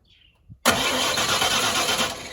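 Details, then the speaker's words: 1994 Ford F150 5.0 L with intermittent crank-no-start; starter spins the engine at a steady, even churn but it never fires; spark tests show no spark from the distributor or coil wire, so the ignition coil is putting out no spark. "so we know it's not the coil wire. So we know our coil is not putting any spark out."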